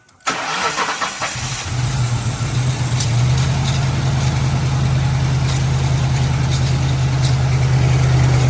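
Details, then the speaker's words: 1997 Lincoln Town Car Signature V8 now starts and idles; uneven lumpy idle with clattery front rattle, suspected timing chain or tensioner, dies off on throttle; plug wires possibly miswired. "yeah here's some rattling around the front there I don't know if it's a timing chain rattling or the tensioner supposedly that stuff was supposed to have been replaced but when you give it throttle it uh wants to die off"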